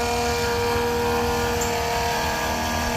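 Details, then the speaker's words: Macerator pump powered from a car's cigarette lighter, on a fresh-water flow test: steady electric motor hum with an even whine and flowing water, really quiet, good flow; normal pump operation. "water's flowing through pretty good it's really quiet"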